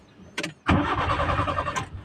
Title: Nissan Sentra GA13 Hard Starting, Idling RPM not stable